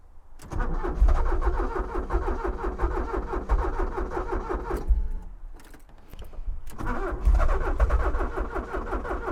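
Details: Abandoned Porsche 944 that ran a week ago now cranks but won't start. The starter churns at an even rhythm in two long bursts with a pause between, and the engine never catches. The owner suspects sticking fuel injectors; he zapped each one with a power probe to unstick them, but the cause is unconfirmed.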